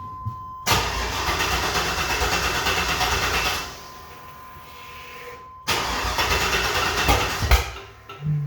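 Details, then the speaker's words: Corvette engine after running about 8–10 minutes: twice it catches promptly and settles into an even, strong idle with no knocking, no smoke and no weird noises. Normal start and idle; a wobbling pulley still needs replacing. "sounds good sounds beefy all right everybody so the engine has been running for a solid maybe eight nine maybe even 10 minutes it sounds good there's no smoke there's no clinging there's no weird noises"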